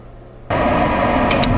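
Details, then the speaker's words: RuiDa RDC644X laser controller set to processing-flow blow mode: pneumatic air-assist solenoid clicks on once at start of engraving, then steady rushing airflow holds evenly until it clicks off at the end; normal air assist operation. "so we just got the pneumatic solenoid coming on and off just at one time"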